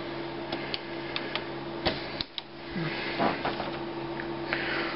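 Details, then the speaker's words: Laser printer (LJ400 series) with the lower paper tray inserted by itself: steady hum while feeding with scattered clicks and a loose, uneven rattle; then a 41 error and blank page, misleadingly suggesting the scanner assembly. "It will have a different sound. See there? Hear that rattle there? Here we are. As we suspect."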